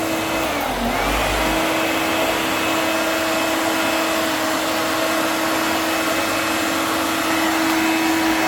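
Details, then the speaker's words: Vintage vacuum cleaner with full bag, first switch-on: steady motor whine that briefly sags near the start then recovers, sounding like stalling or cutting out for half a second; owner suspects something loose, unconfirmed. "It sounded like it cut out for half a second and then came back on. I don't know whether there's something loose."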